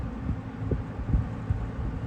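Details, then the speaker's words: Mid-1980s Eastern Electric 20-inch box fan (rebadged Lasko) after a full motor rebuild, on low speed: startup cranks up, then a low steady hum with an airy rush and faint slow throb, no rubbing or rattle; normal running. "Startup sound. I do like that, how it cranks up like that. It sounds like an older fan. And this is the low speed, so it moves a good deal of air."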